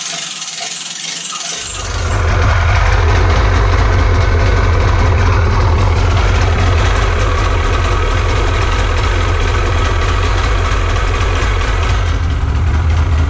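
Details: Seadoo 787 two-stroke engine just installed, on its first start after crank and spark tests: it catches after two seconds and settles into a deep, steady, even idle burble. Sounds healthy.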